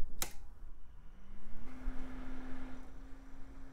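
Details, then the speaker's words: Cooling fan from a 2000s Micron desktop PC, dusty and cheap-looking, tested before cleaning; a click, then a clean hum rises and settles into a steady tone with no rattle or grind; fan is healthy. "and yep sounds perfectly fine so all we need to do is clean it up"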